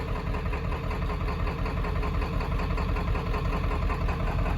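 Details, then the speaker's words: 7.3 Powerstroke diesel running after sitting 10 years, fresh oil, oil filter and fuel filter; a little shaky with a slight miss at idle (injectors suspected), but sounds good and healthy when brought up in revs. "But I mean, you bring her up, and it sounds good and healthy, so"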